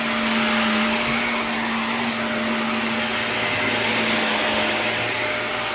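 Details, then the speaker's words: Shark NV355 vacuum after motor main pod replacement: steady high-pitched motor whine with low hum, no surging or rattles, slightly strange wind-down sound; runs normally. "whoa that sounded [Applause] goofy kind of a strange motor wind down sound but works huh but hey it works"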